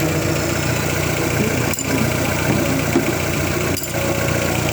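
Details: Fiat Toro engine, previously condemned for noise, running at a steady even idle with no chain slap or rattle after the timing chain kit and variable guide were replaced; timing drive sounds healthy.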